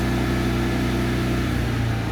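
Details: Hobart Champion Elite 225 welder generator after replacing the idle solenoid, previously slow to go into high idle: steady even engine drone at raised idle with a firm low hum, no hunting or surging; normal high idle.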